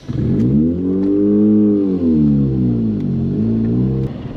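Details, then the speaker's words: Owner's old first car, driving: the engine note rises, sags, picks up, then abruptly drops out after about four seconds when coming to a stop. No check engine light; engine cutting out while driving. "and the car just turned off again as we tried to come to a stop there's no check engine lights though it just turns off"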